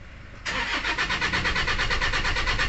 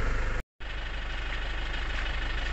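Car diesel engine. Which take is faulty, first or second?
first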